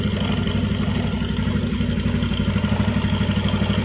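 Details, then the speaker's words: Jupiter MX idling after a full engine rebuild: new block set, timing chain, clutch, water pump, conrod, crank bearings and repaired radiator. A steady, even putter with no misses, knocks or rattles. Healthy and settled; the earlier exhaust smoke is gone. "OK, next time we will listen to the sound, okay, you can compare it with the initial sound before repairing, Bro."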